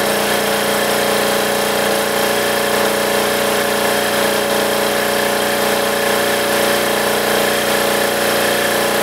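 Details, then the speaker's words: Military diesel generator running with its spark arrestor fitted: steady drone with an uneven, strained edge, bogging down and crackling from heavy back pressure; rough running from exhaust restriction, cured by removing the spark arrestor. "this thing was happened like loads of back pressure to the point where it was just bogging down crackling not sounding good"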